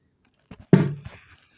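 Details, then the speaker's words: TPA3116D2 amplifier board: two light switch clicks, then a single deep thump from the speaker as the amplifier is switched off; a power-off pop from the amplifier. "Esse som de estalo vem deste amplificador e, em segundo lugar, há um som de estalo quando você o desliga."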